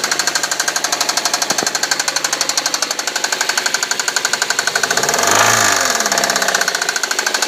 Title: Suzuki SX4 Engine knock